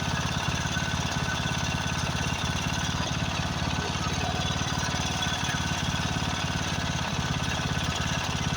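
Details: Craftsman riding mower, 13.5 hp Briggs & Stratton OHV single, after a carburetor replacement: fast but uneven thumping with occasional stumbles, running rough. Owner suspects fuel mixture adjustment or possibly a blown head gasket.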